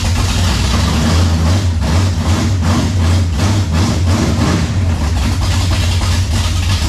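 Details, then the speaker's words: 1967 Camaro with 454 big-block V8, cold start after fuel issue sorted: deep, lumpy but even cold idle with no knocks or ticks; normal cold idle. "since the last time I had y'all on camera I worked out the fuel issue for the most part it looks like let's see if this thing starts this is cold we'll fire it up for you"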